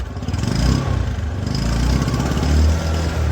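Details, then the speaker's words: Bike drum brake after the brake squeal fix: centred and adjustment tightened, run in second gear with speed rising. Low, even engine drone rising with speed, no squeal or scraping from the wheel; brake runs quiet. "देखिए बिल्कुल भी आवाज नहीं बिल्कुल भी आवाज नहीं"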